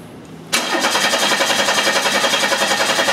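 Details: 1991 Chevy Cavalier 3.1L with group-fired Multec injectors, good spark but no injector pulse: starter cranks at an even beat, about three and a half pulses a second, engine never fires due to a shorted injector. Crank no start, shorted injector.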